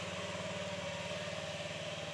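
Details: 2022 Honda Ruckus small scooter engine idling after a full service (oil change, drive belt replacement, valve adjustment), warming up before a test ride: even, quick-firing light putter, steady, no knocks or rattles; normal idle.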